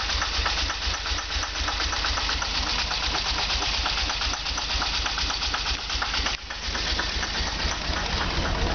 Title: Delorean Rough idle